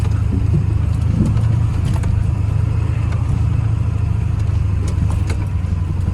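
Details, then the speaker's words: Ford F250 7.3L Powerstroke diesel idles low and lumpy, stumbling with no steady rhythm after backing up a hill; rough idle, owner hopes it was fuel starvation from a low front tank, cause unconfirmed. "Still has a little bit funky idle. I don't love that. Yeah, definitely not happy at idle. Interesting. Unlock. That sounds a little lumpy still."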